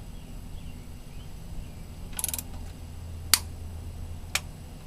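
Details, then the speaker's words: 1994 Mazda MX-5 Miata, new spark plug hand-threaded then torqued to about 180 inch-pounds: quiet ratcheting, then a few crisp single clicks as the wrench breaks over at set torque; plug properly tightened. "Okay, we've got the torque wrench in place, and again we're going to tighten to about 180 inch-pounds. And you'll know you're good when you hear the clicking."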